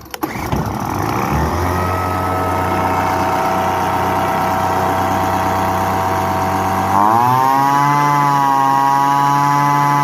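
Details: Poulan Pro PPV 2000LE gas leaf blower after new fuel lines, primed and pull-started: it catches and settles into a steady even buzz, then picks up cleanly to a higher pitch; runs healthy.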